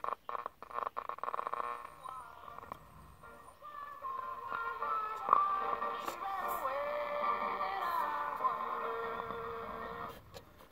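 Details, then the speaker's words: 1967 GE transistor clock radio tuned across the AM band: crackly bursts and faint stations fading in and out, with dead stretches. The low end of the band is now working; cause unknown, and some smoke is seen. "oh it sounds like the other part of the band is working and that's the low end of the band sounds like just"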